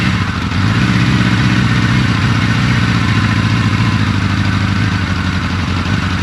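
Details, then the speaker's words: 1983 Suzuki GS1100E first start after restoration, carbs refitted, new battery and fluids, clean tank: deep even four-cylinder burble revving cleanly with no knocks or rattles, slight smoke from residual oil burning off; sounds tight and healthy. "foreign that's awesome exactly what I want to hear there's a little bit of smoke you might see that's just from the residual oil burning off"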